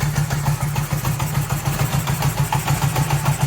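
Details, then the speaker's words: 1978 Honda CB750K running barely at idle, lumpy and uneven, like firing on maybe two cylinders; leaking, and carburetor audibly sucking air from a suspected vacuum leak, cause unconfirmed. "It doesn't sound very healthy. In fact, it sounds like it's only firing on like maybe two cylinders."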